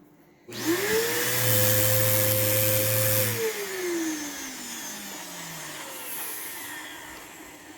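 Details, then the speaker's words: Vacuum possibly running on low with a burning smell: the motor climbs to a high, strained whine, holds, then winds down smoothly; airflow is choked by a clogged hose. "let's see is that clogged of course some people some people are going to come oh that is clogged look at that ew yuck"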